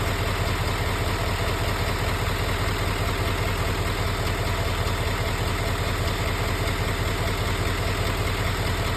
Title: L5P Duramax Ticking Noise